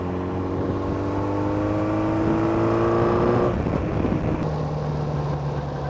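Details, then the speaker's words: Kawasaki motorbike that had a severe miss, worst when cold, and lacked power, road-tested after an ignition fix in a higher gear under load: engine note climbs smoothly, clean gear change, no hesitation or misfire. "so let's put it in a higher gear maybe go up two gears now flat no hesitation whatsoever"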